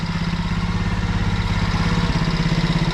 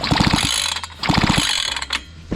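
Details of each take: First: Alfa 110 moped, reassembled after a valve-like knock. Idles with an even thumping beat and no knock, then is switched off. Mechanic notes cylinder wear and a rocking piston but calls it fine. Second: Fubag FPT 52 trimmer that won't start, with spark present. Two quick recoil pulls with no firing; the engine is flooded, fuel leaking from every gap, and a stuck carburetor needle valve is suspected.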